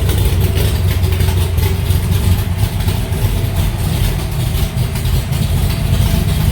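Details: Alumacobra (Cobra) V8 idling in the garage after a start following two months of sitting, to circulate oil; deep, lumpy idle with an even, steady beat and no knocks or misses, sounding settled. Normal idle.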